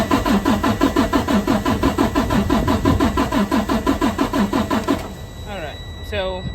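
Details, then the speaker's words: Freightliner Cascadia DD13 with code SPN 157 FMI 15 (low rail pressure): with the QCV unplugged, it cranks steadily at about three compression beats a second but never fires; rail pressure doesn't rise while low-pressure fuel is fine, so a failed high-pressure pump is suspected. "I had seen here it's not happening, so this most likely is a bad high pressure fuel pump, because with that QCV unplugged, these pressures here, so this with this what is that, like LPPO, what I'm reading right here, yeah, that one is decent, all that's good."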